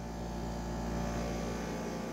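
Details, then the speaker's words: Dehumidifier, not an AC unit, with a quiet fan and very loud pump: constant deep droning hum and steady low buzz at fixed pitch, rumbling the whole floor; cause suspected, not confirmed. "And it's rumbling the whole floor. Right here, I can feel it really well."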